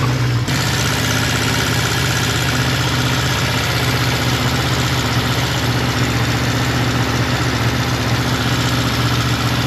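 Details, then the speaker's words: Suzuki GS550T not run in 10-15 years, carbs ultrasonically cleaned, oil put in cylinders, first start: catches and holds a steady but lumpy, low idle, needing choke to keep running; idle speed low. "so it needs a bit of Choke so it's running and I'm really shocked with that but uh it needs a bit of Choke to keep running"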